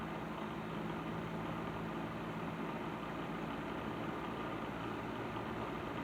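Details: Patton 12-inch box fan after cleaning and servicing, running on low speed: smooth, constant whoosh of air with a low, steady motor hum and no rattle or scrape; fan running fine.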